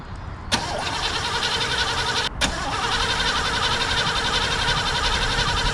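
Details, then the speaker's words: 1988 Chevrolet Caprice Classic wagon abandoned 15 years: starter cranks the engine at an even pace, restarted once, but it never fires; crank no start. Owner suspects the in-tank fuel pump may be dead and plans to feed 50:1 fuel to it. "i think you're gonna have to feed her some of the 50 to one get it to fire off and if i can get it to run long enough it should suck fuel up from the fuel tank unless the fuel pump's dead which is possible"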